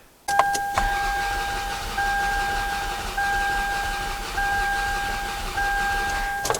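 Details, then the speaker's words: 2002 Toyota Solara, 300K miles, overheated and died at a stoplight: starter cranks with a steady whine and lopsided beat, one stroke per cycle missing; dead cylinder deliberately created on cylinder four as index for relative compression test. "Okay, first of all, you can hear that is what a dead cylinder sounds like. Totally different and much more concerning right there than what we heard previously."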